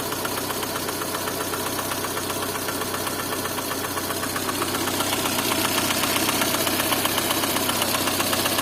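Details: Lada Kalina engine: steady sharp tapping about four knocks a second over idle, firming as revs rise slightly; engine knock.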